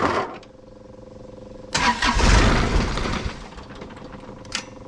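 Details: John Deere 1025R subcompact tractor diesel started after 200-hour service with fuel filters changed and fuel system primed; turns over and settles into a steady, even idle, loud burst partly covering it; normal start and idle.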